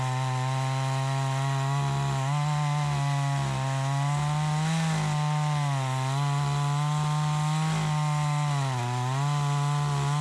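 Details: Troy-Bilt 20-inch chainsaw, bought new, after carburetor adjustment: high steady buzz dips briefly as the chain bites and recovers quickly, crisp response; runs like a new saw, owner thinks a bit more RPM possible; normal under cutting load.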